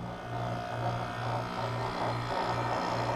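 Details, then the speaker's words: Window AC not cooling, control board bypassed with neutral connected and fan hot wire left open, dual capacitor: steady low compressor hum pulsing slightly, no fan airflow, sounds a little weird; compressor runs, condenser fan not running. "Compressor started. Test. Turned it off. Sounds a little weird. But we had no fan."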